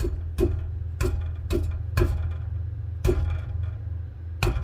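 Sharp irregular ticks roughly twice a second over a quiet low hum; modules rattling on the exhaust bracket, fixed by body mounting.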